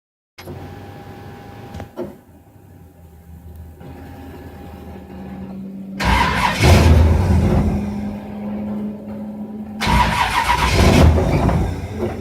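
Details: Engine with a FiTech fuel injection system: starter spins it in two long bursts at about three beats a second, but it never catches or fires; cranks with no start.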